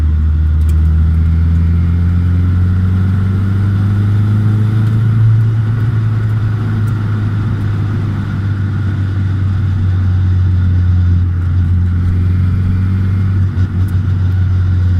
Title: 200SX S14 whining noise...